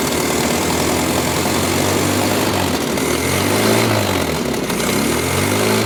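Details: 1983 Toyota 4x4 pickup, 22R four-cylinder, sat at least 10 years, fuel leaking: loud, ragged idle that surges and sags, gurgling; suspected flooding carburetor, not confirmed.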